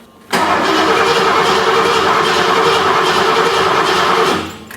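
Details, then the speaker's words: 39-year-old Ford F150 with pump jumpered on and fuel rail holding 40 PSI: about four seconds of steady, even starter cranking near two and a half beats a second, never firing; compression seems fine, cause unknown. "we have good fuel pressure but when we crank the engine the engine doesn't start"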